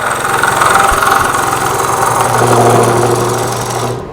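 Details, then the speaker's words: Wood lathe roughing out a green cherry bowl: steady low hum under coarse rasping chatter as the gouge bites hard, vibration from cutting roughly and aggressively. "can hear vibrated because I'm getting kind of rough with it"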